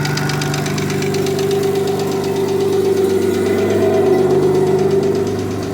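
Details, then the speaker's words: Forged Audi 2.7T twin-turbo engine in a Porsche Boxster, cold-start idle after months sitting: a fast, fairly regular light tick, around 160 per minute, over the engine hum; noisy lifter. "So I'm just going to do a cold start so you can hear the lifter now."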